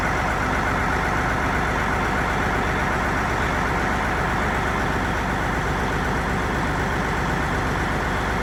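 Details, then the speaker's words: Peterbilt 379 diesel project truck, bought non-running, first start after priming fuel: heavy idle with slightly uneven, choppy beat under steady rumble; owner suspects a little air still in the fuel; rough idle. "running a little choppy. It might even I don't know. You hear it? It's got a little wheel in it."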